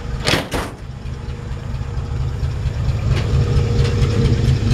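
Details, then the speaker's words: 1955 Chevrolet 3100 short bed pickup, mechanically in great shape, hood open, no exhaust smoke: after a door thump, low steady idle rumble at about two beats a second, no misses or knocks; normal healthy idle. "put it for the exhaust back there no smoke just want to show you that engine runs good"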